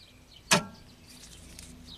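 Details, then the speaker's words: 1991 Audi 200 Turbo Wagon that sat 15 years in a forest, rebuilt starter, in neutral, with power jumped to the top solenoid control pin: one sharp solenoid click, then only a faint brief rumble as the engine barely turns over. "okay so it clicked I don't think I popped anything yet the engine definitely tried to turn"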